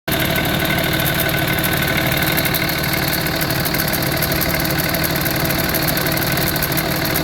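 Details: 2005 Cummins 5.9 diesel, rebuilt 4k miles ago, idles cold with a loose, uneven rattle over its clatter, starting ~10 seconds after start-up and gone above 140°; new belt, tensioner, alternator, idler pulley didn't fix it; cause unknown.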